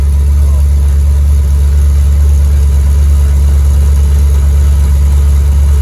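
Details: V8 with new custom stainless Flowmaster U-fit dual exhaust, Hooker Blackheart mufflers and electric cutouts, cutouts open at first start: deep, steady low rumble, smooth with no misses or knocks; healthy exhaust note.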